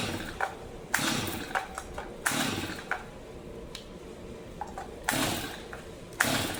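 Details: New, never-used Stihl MS 250 chainsaw fully choked with starting fluid: repeated pull-cord rips about every second, no firing; fouled or flooded spark plug suspected, not confirmed.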